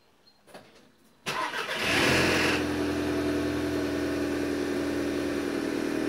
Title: audi tt start rattle noise